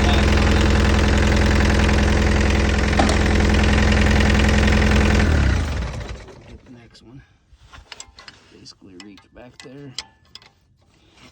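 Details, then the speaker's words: Mini excavator diesel after fuel filter change, air being bled from fuel lines with the hand pump: chugs steadily about five seconds then fades and dies, won't run with air in lines; diesel stalling from air in fuel lines. "we're just basically working our way through all the fuel lines and getting all the air out get that air out it won't run with air in the lines"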